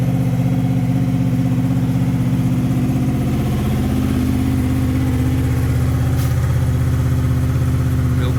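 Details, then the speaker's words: 2005 Honda VFR800fi, 33,000 miles, cold start after sitting 3 days at 55°F: even, rapid low-pitched pulsing idle holding steady, no misses or knocks; starts up nice and good, healthy cold idle. "This is a cold start. Hasn't been run in 3 days. It's 55 degrees out. Starts up nice and good."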